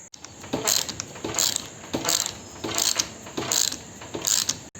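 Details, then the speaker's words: Maruti Alto shock absorber strut mount in bench vise during full service: dry, scratchy squeak with each turn, about 80 a minute, because the strut mount bearing has no grease and is dry and tight. "ഇത് ഗ്രീസൊന്നുമില്ലാതെ dry ആയതുകൊണ്ടാണ് ഇങ്ങനെ tight വരാനും sound വരാനുള്ള കാരണം."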